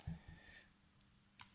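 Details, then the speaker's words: Electrically fed pneumatic solenoid valve on a bench, coil energized to close the valve, which reopens by spring action when power is cut: one crisp click as the core pulls in and shuts cleanly. Normal solenoid valve operation. "field is generated, the solenoid valve closes and if I stop feeding, the solenoid valve opens by spring action."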